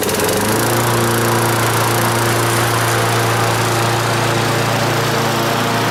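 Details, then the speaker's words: Donated non-running lawn mower on its road test, cutting dandelion stems: small single-cylinder at a steady high buzz, holding speed evenly; starts well and runs smooth, a good motor. "she starts real good runs nice and smooth so that's a good motor"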